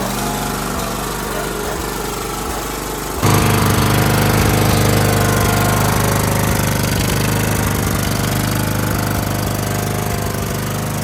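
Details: Husqvarna mower with Kohler Courage engine, after repair and new starter: steady, even low chug at constant speed with no knocks or misses; running healthy.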